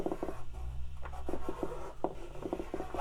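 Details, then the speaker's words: 1981 Suzuki Omnichord OM-27 with no chords or tones: touching the strum plate gives only soft, dull pops in small clusters, the gate transistors opening, with no chord or bass tone output. "that popping noise. will be the uh gate transistors opening."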